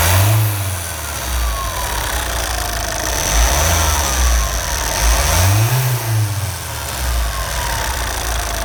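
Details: Opel Zafira 1.9 diesel revving up to about 4000 rpm and back: a thin whistle climbs and falls with the revs. Turbo whistle, cause not pinned down.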